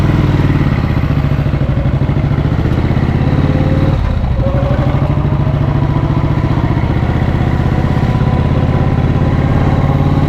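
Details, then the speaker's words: 1937-40 Matchless Model X 990cc side-valve V-twin, after two years fixing poor starting and running, started second kick: deep, steady thumping under way, firing even with no misses, knocks or rattles; running healthy. "Okay, early indications are very good. Running really nicely."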